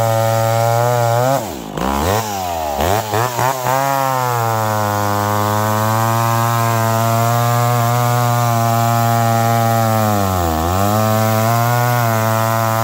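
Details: McCulloch Pro Mac 1010 chainsaw cutting wet wood with a dull chain, high jet barely open. The high buzzing note drops sharply each time it bites and struggles to recover, bogging under cutting load. Improved but not 100%.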